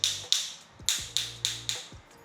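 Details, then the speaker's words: Six sharp taps with a rattle-hammer stick on a floor tile of a newly handed-over home ring hollow and rattly, unlike solid tiles, marking a void beneath the tile to be marked for a warranty claim. "Nah ini suaranya beda. Agak sedikit kopong. Cek satu persatu teman-teman kayak gini. Nah ini kopong ya."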